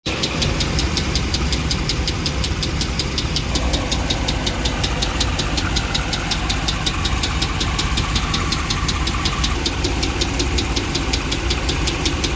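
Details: 2009 Dodge Ram 5.7 L Hemi at idle, noise from the engine center: sharp metallic ticking at about 160 per minute over the V8 idle. Failed lifter on cylinder 3, with cylinder 3 misfire codes P0340/P0303, slow starting, good oil pressure and a metal piece on the dipstick.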